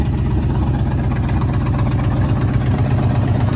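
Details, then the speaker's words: 1977 Ford F-150 with 302 V8, first running after 19 years neglected: deep idle with uneven stumbling beat, about four lopes a second, a clear misfire; new plugs planned. "fun piece of automobile equipment you can really you can really hear the misfire"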